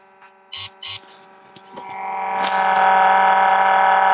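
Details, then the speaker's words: Range Rover L322 TDV8 heater blower after cleaning debris from around the resistor: loud steady whir with a buzzy rattle, even noisier than before. A climate control board fault is suspected. "Right, after all that, it's even now noisier. I'm sure you can hear that."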